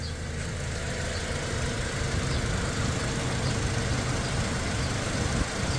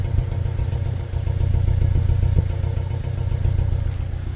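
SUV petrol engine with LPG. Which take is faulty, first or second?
second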